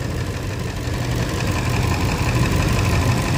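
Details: Toyota Land Cruiser, push-button no-crank, no-start fault with no codes: steady, deep idle with an even pulse that firms slightly, no knocking or misfire. Engine itself runs fine.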